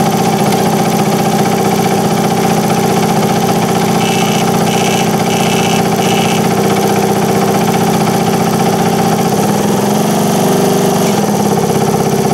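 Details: 1978 Indian moped with a four-stroke petrol engine, run after fitting the air cleaner, choke on: steady, even idle with a brief speed wobble near the end; sounds healthy, normal idle.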